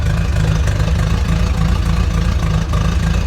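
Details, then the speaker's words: Corvette C4 finally started: heavy, loping idle with an uneven stumble and shaky rumble, an ugly misfire sounding almost like a cam; owner suspects spark, car shaking badly, lights dimming. "the car finally got started and it's just having an ugly misfire as you hear it sounds it sounds almost like a cam"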